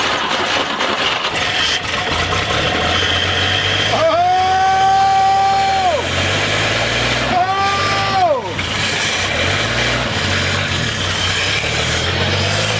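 Ragged, uneven firing that surges and sags under a whistling tone; the long-stored six only keeps going on squirted fuel.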